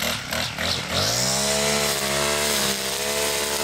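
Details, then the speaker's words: New Poulan Pro PP428S string trimmer after carburetor adjustment (factory too lean, died on throttle from idle): revs cleanly to a high steady wail without bogging or surging; runs good, pretty powerfully. "right weedwacker runs good pretty powerfully yeah"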